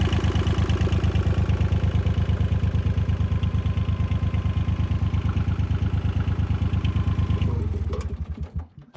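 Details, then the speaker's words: 1977 Yanmar YM2500 diesel tractor after fuel filter replacement: steady even diesel chug about three beats a second, clean until shutdown, winding down smoothly; normal idle, sounds healthy. "you have it, man. Everything sounds really good. It sounds healthy. It's a good running tractor, y'all."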